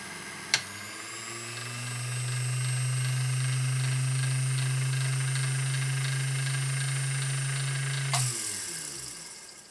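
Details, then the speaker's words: Vintage Singer 201-2 sewing machine (Carol's), which smoked heavily before restoration, run with the bobbin winder engaged: a fast, steady motor hum holds an even pitch under the winder's drag, then winds down cleanly; healthy motor, no smoke now. "it's a fast motor right there and it's doing the drag of the of the bobin winder"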